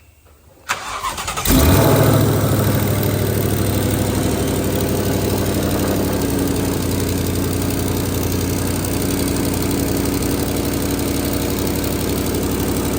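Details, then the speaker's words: Twin-turbo Ford GT500 after refitting the turbo and T4 joint, O2 sensor and oil change: starter catches, engine fires and settles into a smooth, even idle with steady exhaust note, no ticking or puffing leak; sounds good. "start all right so I think we're all fixed up [Music] now sounds pretty good so"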